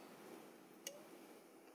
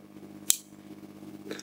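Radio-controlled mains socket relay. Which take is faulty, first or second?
first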